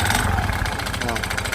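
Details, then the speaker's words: Honda Beat FI scooter on light throttle: rough, harsh, clattery running with smoke from the exhaust and oil burning, blamed on a broken piston; engine top end must be rebuilt. "dan di suara mesinnya itu sangat kasar sekali ya saya gas tipis-tipis dulu"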